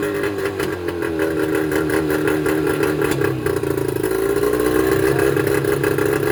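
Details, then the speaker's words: Mercury 25HP two-stroke outboard idling: an irregular, stumbling beat with coughing and a brief rev. Rough running is caused by leaking reed valves, later replaced with Boyesen power reeds. "you'd be amazed that you wouldn't think that these two little pieces of metal is what makes the motor run so rough but these are the valves for the two strokes"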